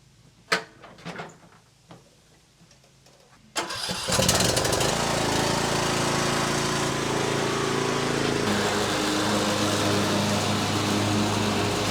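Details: Riding mower started after fitting a new deck belt: after a few clicks the engine catches first try and settles into a steady, even run with no misses or knocks.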